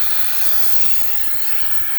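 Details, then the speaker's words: Chevrolet Silverado 3.0L Duramax diesel, refilling coolant after coolant control valve replacement: steady airy hiss, no change in pitch, as the air-driven venturi tool pulls vacuum on the cooling system toward about 25 before air shutoff and leak check; vacuum refill tool running normally. "Now we're pulling vacuum. All right. So we'll get that up to probably about 25."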